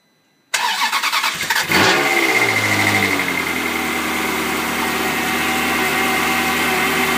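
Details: Ferrari 360 cold start: starter catch and flare, then busy high-revving cold idle with a slightly uneven, lumpy beat underneath; rough idle on cold start, cause unknown.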